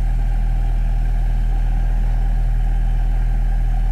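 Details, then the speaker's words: Alesis M1 Active MK2 powered speaker playing a 40 Hz test tone: a steady deep hum, mostly air moving through the tuned bass ports, with no rattle, buzz or flutter; normal port output. "actually the frequency that the 35 Whatever It Is 40 HZ frequency it's like a hum but you're probably hearing mostly the air that's coming out of these holes and I can actually feel the air now you don't hear that normally when you're listening to music"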